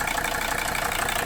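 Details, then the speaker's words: Mercedes W126 300SD turbo diesel, first start after starter replacement and valve adjustment: harsh, loud clatter at steady idle, louder than the owner expects, cause unknown; heavy white/blue smoke and suspected leaking coolant gasket. "overall this engine just sounds a lot louder than uh than a lot of the other cars i've had and once i've worked on so i don't know why it is so loud"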